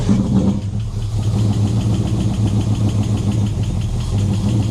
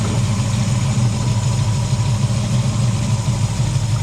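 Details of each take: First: Summit Racing distributor, normally 16° initial and 32° total; low, lazy, uneven idle that sags and nearly dies; timing really retarded, distributor must go around another tooth. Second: V8 with cheap Summit Racing distributor, fixed after failure by replacing a roll pin; deep, even burble at steady idle with no misses, knocks or ticks; normal idle.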